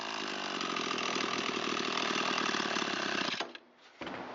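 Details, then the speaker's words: Echo SRM225 trimmer left sitting with fuel, previously wouldn't start, low compression, mixture screw cap removed: high thin buzzing run, slightly strained and unsteady before cutting off; running a little lean, mixture screw at carburetor to adjust. "it's a little lean, a little peek underneath the carburetor here where the mixture screw is located."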